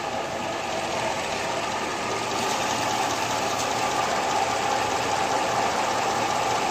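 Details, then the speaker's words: Engine with a rebuilt top end and Comp Cams 8957 link-bar hydraulic roller lifters after about 14 hours of run-in (they were previously very loud when warm): steady idle with a faint, dull lifter clatter, tolerable. "you got a little bit of you got a little bit of dull cladder coming out of there now but it's it's tolerable"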